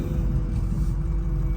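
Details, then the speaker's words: Built 6.0 Powerstroke diesel truck with H-pipe, first drive after the build: deep, steady diesel rumble, even low drone, no knocks or misses. Smooth normal idle, quieter and smoother than with stock parts. "so, it also is seems to run kind of quieter, which is also nice. Uh, cuz that kind of tells me that the truck is happier, um, if you will."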